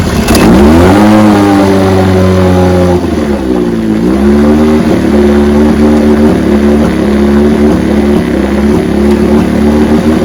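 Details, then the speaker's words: 1968 Evinrude 9.5 HP two-stroke outboard, restore, running in neutral with weak cooling water flow; buzz rises then wavers with occasional stumbles, runs a bit rough and won't restart warm without choke; weak coil giving intermittent spark. "it ought to just start right up I had to choke it for it to start that's not right"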